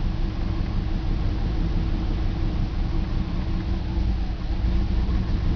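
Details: BMW 325 M54 cold morning start: deep, lumpy, stumbling idle with misfires logged on cylinders 3 and 5, sometimes 4; it stops once warm despite new crankcase valve, plugs, coils, fuel filter and cleaned injectors.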